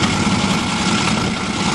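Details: 1986 Mercury Grand Marquis fuel-injected 5.0 V8, first start in 5 years after the fuel pump wiring was sorted: smoky start, then a steady, even low idle rumble with no misses, knocks or stumbles. Normal idle.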